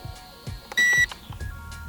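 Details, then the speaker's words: Holy Stone HS230 5.8 GHz FPV racing drone flying outdoors in cold, calm weather: one clear high-pitched beep of about a third of a second. Transmitter low-battery warning, after roughly 7.5–8 minutes of flight; flips disabled at low battery. "Trying to figure out what that noise is. Listen. Oh no, that's a weird noise."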